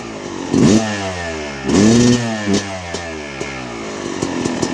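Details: 2006 Yamaha YZ250 first start after rebuild (new main bearings, seals, OEM piston kit, replated cylinder): crisp two-stroke blips rising and falling cleanly with throttle, no rattles or knocks; healthy, free-revving.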